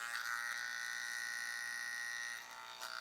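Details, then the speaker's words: TATVIDA rotary tattoo machine at 10.3 V with soft-membrane CNC cartridge: high, steady buzzing whine with harsh raspy edge, far too noisy to tattoo with; noise becomes acceptable around 9 V. "Non, je peux pas tatouer avec ça. Hein. Mast, je tatoue pas avec. Je tatoue pas avec un truc qui fait du bruit comme ça, c'est pas possible."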